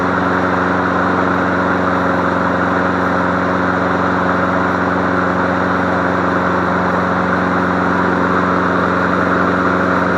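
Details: Free MTD Select Series 21-inch self-propelled mower, suspected sheared flywheel key caused cord snap-back, running on leftover fuel: steady even single-cylinder drone at constant pitch, no stumbles or surging; runs smoothly.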